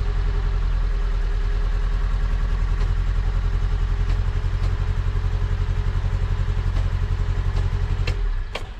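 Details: Low-mileage Mk1 Fiat Punto at idle, recurring misfire since 2022: uneven stumbling lumpy idle beat before the engine dies, after refitting parts; owner later suspects HT leads fitted in the wrong order.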